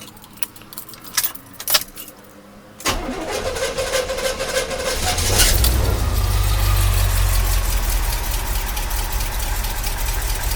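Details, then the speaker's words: 1982 Corvette C3 with fuel injection, revived after a decade outside and a fuel system overhaul, started completely cold. Brief crank, instant catch, then a steady, slightly fast cold idle with no misses or knocks; normal cold start. "starts right up. What do you guys think? Oh. Might need to warm up just a little bit. That's not bad for fuel injection, that's for sure."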